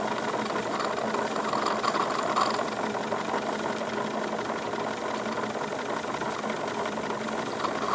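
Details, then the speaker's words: Wilesco D22 model steam engine, fire pulled but still on steam: quiet, even chuffing with no knocks or rattles, smooth with virtually no vibration as revs rise; background gurgle is condensed water draining into the catch. "just very very smooth operation increasing the revs a little bit I can feel effectively no vibration coming from this thing just lots of very very smooth operation"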